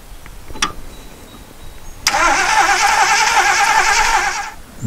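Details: 1977 Jeep CJ-5 that sat about 10 years, starter shorted to test whether the fuel pump delivers, fuel line not yet hooked to the carburetor: about two and a half seconds of even cranking, never catching; cranks but does not start.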